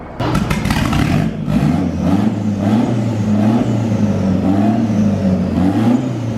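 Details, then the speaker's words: Frankenvette (Chevette-based hybrid) on the dyno for final MegaSquirt tuning, full-throttle pull: strong, continuous drone under load with no stumble or cut-out; the earlier fault did not recur and it pulled through cleanly. "It did not do it. And it pulled through it. It pulled through it."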